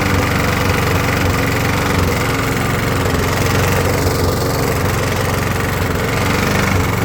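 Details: Briggs & Stratton push mower, about 20–25 years old, after new head gasket and carb gaskets: runs low and uneven with faint stumble, still missing, short of full RPM; about four times better than before, cause still unknown.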